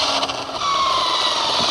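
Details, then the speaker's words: 1/7-scale RC NASCAR Craftsman truck, electric, tested for top speed after earlier overheating and tire wear. Harsh, raspy high-pitched whir with gritty roughness while accelerating; drivetrain noise, cause unknown. "I just want to get a little base speed of what this thing's capable of, but we'll see. Oh, it sounds horrible."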